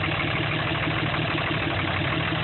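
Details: 2005 Dodge Ram 3500 5.9 Cummins common-rail (325 hp/600 lb-ft), damaged by bad injectors: rough diesel idle with a puffing chuff on each firing pulse, and the loose oil filler cap dances. This shows excessive crankcase blow-by, so the engine needs a rebuild.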